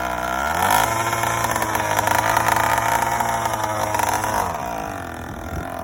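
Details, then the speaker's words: Yamaha YD100 two-stroke with Dio reed valve, original 50cc kit, stock gasoline, first start-up: revs up and holds high with rising, wavering buzz, then drops off; erratic high revving, poor throttle control; owner suspects a loose part caused high idle. "oh that was loose i wonder if that's why i kept getting that high idle i was having horrible high idle like when i come like well off the clutch"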